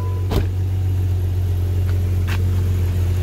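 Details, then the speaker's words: Jeep ZJ Grand Cherokee at idle, first start after welding the exhaust pipes, cat and muffler back in: low, steady hum with no puffing, ticking or rasping from the pipes, exhaust sealed with no leaks, engine idles quietly like a purring kitten. "Hey, purrs like a kitten."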